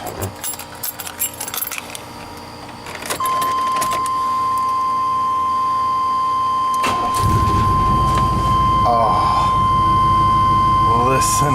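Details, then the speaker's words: 1999 Chevrolet Tahoe V8 with a P1345 code, after a new distributor cap and rotor (a new crank sensor hadn't fixed it): keys rattle, then it fires into an even, steady idle without stumbling. Before the repair it wouldn't stay running. "you would never know that 35 minutes ago this thing wouldn't even stay running I wished I'd have recorded it because it was running like just hammered crap"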